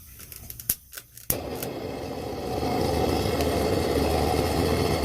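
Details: Wenzel kerosene lantern's rapid preheater after its clogged jet was cleaned with a tip cleaner: a few metallic clicks, then the burner catches and settles into a strong, steady roar that builds slightly; lighting and burning properly.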